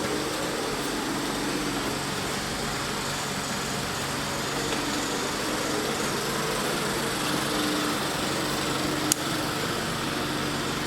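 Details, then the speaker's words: 1979 Triumph Spitfire that sat about 20 years, ignition on, engine off: steady whooshing hum of the electric fan, which stays on all the time. "I hate that fan stays on all the time."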